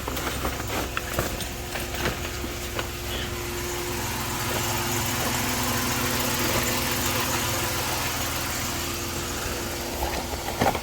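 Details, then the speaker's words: 1990 Dodge Grand Caravan LE, first start after sitting, no instrument cluster connected: after a brief sputter it settles to a quiet even idle with soft hum, no knocks or misses; engine running smoothly. "it's alive and it sounds good kind of spotter to life but hey it's alive"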